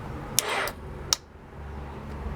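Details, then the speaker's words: 2002 Honda CBR600 F4i that died while riding and won't restart (had shown 223°F, now 160°F): two sharp clicks about three-quarters of a second apart, no cranking; cause was a weak battery, fixed by replacing it. "See, this first one clicks and then I let off the start button and then the battery"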